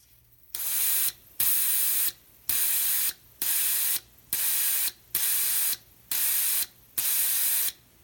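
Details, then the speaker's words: Fuel injector on the bench being cleaned with carb cleaner, pulsed by a 9 V battery push switch: a sharp click about once a second, then a steady hiss of spray into a plastic box, cutting off cleanly; the injector works normally. "And that's how I run the carb cleaner through it, and it just sprays into this little plastic box and catches, and it seems to work good."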